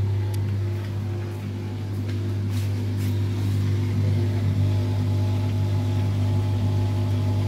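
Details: LUX front-load washing machine that fills with water but won't turn the drum in wash or spin, tested in spin mode: a steady low motor hum with no tumbling or spin-up. Motor is powered but the drum does not turn; the motor is being checked.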